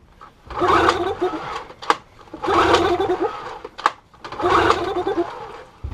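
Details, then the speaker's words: 15HP Yamaha two-stroke outboard recovered after sinking, primer bulb pumped: three long rasping recoil pulls, each about a second, never catch; no fuel could be smelled, fuel starvation, fuel not reaching the carb. "So after lots of furious pull starting without any success, sort of sat down, had a cup of tea, had to think about it, and realised I just couldn't smell any fuel at all."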